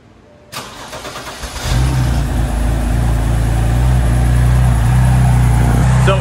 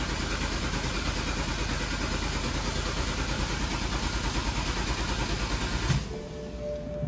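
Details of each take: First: 2009 BMW 328i, about 112k miles, bought as non-running with a suspected bad fuel pump. The starter whirs briefly, it catches within a second and settles into a steady, even idle; spilled oil smokes as it burns off. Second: BMW 328i no-start after fixing a backwards fuel pump connector: steady starter cranking about three turns a second for six seconds, never catches; fuel reaches the rail but injectors aren't firing and no spark, suspected DME issue.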